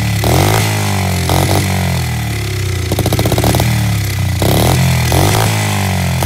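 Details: SSR 70 pit bike of unknown history, started via starting fluid without carb cleaning; single-cylinder blatting at wide throttle with uneven stuttering firing as revs surge and dip, running rough.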